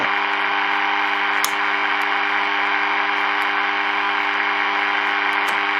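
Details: Early-1950s HMV Little Nipper Mark II valve radio with 6X5 rectifier, powered up slowly: constant low mains hum with faint crackle and static, no stations, because the local oscillator isn't oscillating.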